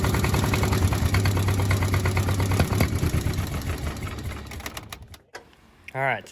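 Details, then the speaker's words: 1951 Caterpillar D8 2U dozer, sat since 1990, main engine previously seized and freed with WD-40 and ATF, first attempt to start the big diesel: steady chugging crank, about three beats a second, no start. "the first time we're actually trying to start the big motor and we didn't have much luck at it"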